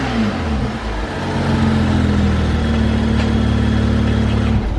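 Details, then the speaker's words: BMW F30 335i N55 with stock intake before installing BMS Elite Performance cone intake; clean rising and falling revs, smooth tone, faint intake hiss, healthy. "right guys so you guys kind of heard it it's kind of like a little bit of like a sh like sound i don't know how to explain it it's nothing major"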